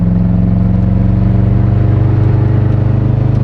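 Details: Modified Subaru boxer engine with no oil and the oil light on, idling after one hard pull: heavy, lumpy, fast-pulsing throb with violent shaking and power loss from a broken connecting rod, possibly a broken crank.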